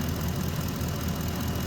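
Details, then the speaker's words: 2010 Ford F-150 5.4 V8, warmed up, both exhaust manifolds previously replaced with stainless bolt kits: even idle rumble with no ticking; ticking only on startup, owner suspects heat expansion of a hidden manifold crack; no manifold ticking when warm. "and you see you don't hear any ticking now but it's the expansion there's a crack in it somewhere"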